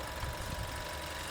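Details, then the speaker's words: Dual VVT-i engine after fourth teardown with block, pistons, cylinder head and camshafts machined, valve cover open at idle: brief, even low hum with the earlier cit-cit chirping gone; normal idle after repair. "Alhamdulillah ya, enggak ada suara cit cit cit cit cit. Kemarin kalau kita buka seperti ini suaranya cit cit cit cit gitu ya."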